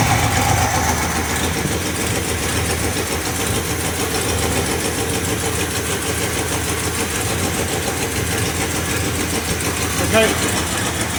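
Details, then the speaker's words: 1968 Cadillac DeVille V8 idling after a no-start, fixed with a new negative battery terminal, wiring repair, cap and rotor: a steady, even low rumble with no knocks. The carburetor was adjusted, so it may run slightly rich. "it's running um I was messing with the carburetor so it may be running a little bit Rich right now but it's running"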